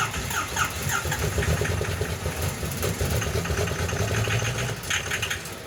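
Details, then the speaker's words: Cold diesel on extra ether: labored cranking with ragged firing that catches for a moment and then dies away; hard starting, the engine will not keep running, owner suspects it is just cold natured, cause not confirmed. "Bro, does that count as running? I think she's just cold natured."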